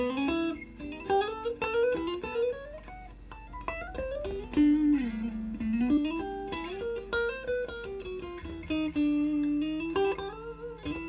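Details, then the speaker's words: Stratocaster played after fret leveling and dressing, nut height, truss rod and action setup; notes ring clean and sustain across the neck, earlier high-string buzz gone, frets even, no fret buzz. "all that noise is gone they had before run my fret rocker ain't getting their noise at all"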